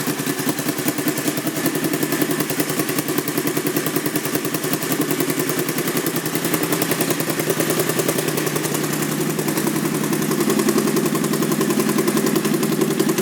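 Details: 2001 Honda VT1100C Sabre V-twin cruiser, just over 22,000 miles, idling: loud, lumpy beat with sharp open exhaust bark each firing pulse; sounds like baffles may have been removed, though pipes look OEM; unconfirmed.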